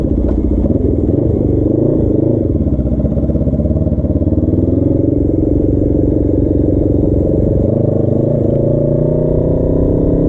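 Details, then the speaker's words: Custom Suzuki GS450 scrambler on a warm-up ride, choke off: revs sag and stumble toward a stall each time the throttle closes; stalling from a disconnected petcock vacuum line starving the carbs of fuel. "so letting off the gas it's trying to die on me tipsy I know I haven't gone that far but it is trying to keep something fall on its face"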